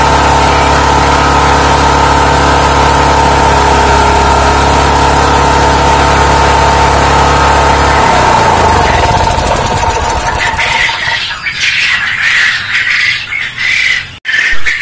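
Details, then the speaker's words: Small single-cylinder generator converted to run on LPG (3 kg cylinder) for a quail coop power backup: steady, even drone at constant speed for several seconds, then the sound changes; smoother and more stable than on petrol, normal running. "Sudah tak coba menyalahkan dengan menggunakan elpiji yang hasilnya suaranya lebih halus kemudian untuk t'adore lebih stabil"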